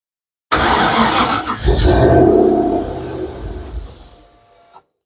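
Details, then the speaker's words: Mk1 Ford Capri with Rover V8 turbo, rebuilt bottom end, ECU wired and fuel system done, first start: catches with a loud rough roar, smoke, stumbles and dies within about four seconds; owner thinks it may be a bit rich. "oh [Music] well it starts at least"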